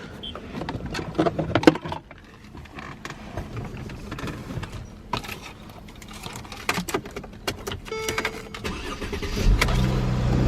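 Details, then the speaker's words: Mercedes E350 with front-end damage at auction, 28,000 miles: handling clicks, then a quick crank that catches at once and settles to a steady idle; starts right up and drives. "Starts right up. Not bad. It drives."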